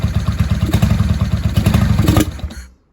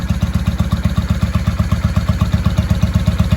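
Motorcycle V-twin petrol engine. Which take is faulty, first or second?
first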